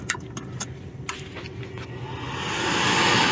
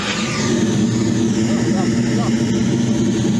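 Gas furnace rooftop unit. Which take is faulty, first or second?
first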